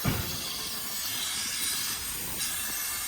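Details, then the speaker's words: Boxer Jocks robot boxing machine, sitting dormant over a year, engine-driven compressor running: steady sharp hiss of escaping air throughout with no pulsing; a blown air line dumps all pressure, so the punching doesn't work until the line is replaced. "So as you hear that airline whistling out, that's a pretty easy fix."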